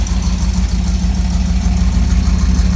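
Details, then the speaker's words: 1983 Camaro Z28 V8 after rewiring plugs and setting timing: deep even lope at idle, about three beats a second, steady with no ticking or knocking; normal idle. "I don't hear that big anymore on this side. I'm just glad it runs fine now."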